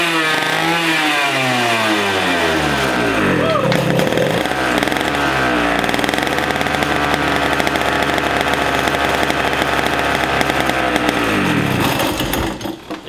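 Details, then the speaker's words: Two-stroke racing go-kart engine, 100cc, unused for years, first run after a drill start. Revs flare and hunt, high and uneven, then sag and cut out: it won't hold idle and tends to stall. "she works yeah it sounds really good definitely into a little cartoon it does want to die but yeah solid"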